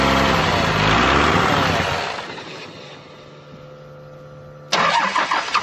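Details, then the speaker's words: 12-valve Cummins diesel, five-speed truck, winter cold start: long uneven cranking about three turns a second before it finally runs; owner suspects injection pump or injectors, slow to fire on all six. "i think there's probably something wrong with the injection pump or injectors because it takes a while for this thing to fire on all six"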